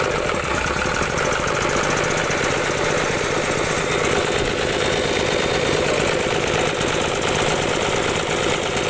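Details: Isuzu 6HK1 diesel cranking but not starting: steady starter churn with uneven compression beats around seventy-odd a minute, never catching into a run; cranking no-start diagnosis, part 1.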